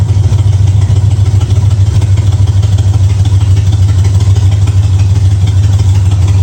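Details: 1965 Ford Mustang V8 at settled idle after header install, timing set at 12 degrees before and idle screw adjusted three quarters of a turn; low steady burble firing evenly without stumbles or surging, sounds real good, normal idle.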